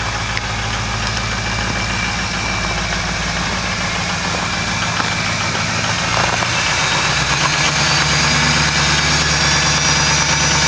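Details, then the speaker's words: Ford 6.0 Powerstroke diesel, cold start without block heater after glow plug cycle: cold clatter ticking steadily, then idle steps up into high idle mode and smooths out after about six seconds; normal cold high-idle warm-up. "So, there's our high idle mode."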